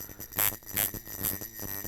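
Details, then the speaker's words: Coil tattoo machine on 6 volts after lifting the front spring and adjusting contact gap: even steady buzz in regular pulses, clean tone, more force; now a slow, slappy shader running smoothly. "And it's got quite a bit more force. And mess with your contact gap a little bit until it feels that feels great. And you have a slow and slappy shader."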